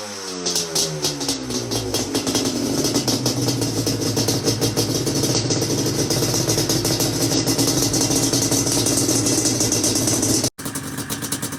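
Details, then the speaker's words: Yamaha Banshee two-stroke that wouldn't start, after cleaning carbs, raising the pilot jet a size and cleaning the reeds; owner suspects old failed gaskets: crackly buzz climbs with throttle then holds even revs without stumbling; now runs and revs cleanly. "the banshee is running it started right up after i went into the reeds and kind of cleaned them out like i said"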